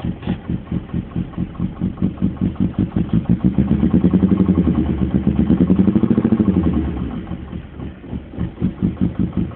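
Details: BMW E34 with a very rough, lumpy idle and a steady knock of about three per second from the driver's side, starting days after replacing the intake manifold and throttle body gaskets and o-ring; owner suspects debris in a cylinder or gummed plugs.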